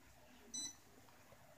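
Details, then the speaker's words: PS4 VR processor box keeps restarting itself nonstop since a new update, headset shows only backlights; one short high beep then a click, repeated beeping while power cycling, unchanged after unplugging for days and swapping wires; cause unknown. "it turns on the headset just the backlights keeps beeping it's giving me this now comes and goes but the main thing that just keeps restarting itself and it keeps beeping like that"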